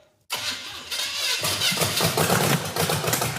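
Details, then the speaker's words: Model A engine at first start with timing fully advanced: ragged, uneven chuffing and sharp popping bursts with no steady idle rhythm, backfiring through the carburetor with fire at the intake; cause is sticking valves, compression test to follow. "Use your hat. It doesn't even suck enough air in to blow out the fire."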